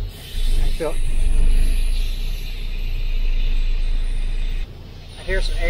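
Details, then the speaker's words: 1984 International cabover diesel semi idling right after firing up: an even, deep low rumble with air hiss from a parking brake valve leak; the engine sounds healthy. "Don't that sound good, Brandel? Sounds like something. I mean, this was a nice old tractor."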